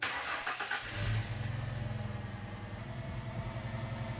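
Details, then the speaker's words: Ford Mustang V6 with flashing check engine light and lack of power blips and idles with an uneven, stumbling beat: misfire on cylinder 1, caused by a failed ignition coil pack. "You can hear the engine hesitating a little as I rev it up. Let's first plug in a scanner to check for codes. So sure enough, it looks like a misfire on cylinder 1."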